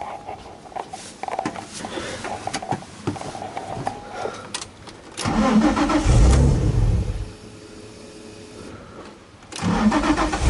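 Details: Flood-damaged Nissan 350z that sat over a year, with old gas. Earlier it shut off on a vacuum leak. Cranking catches and fires, revs up, then settles to a steady idle. Normal start and idle.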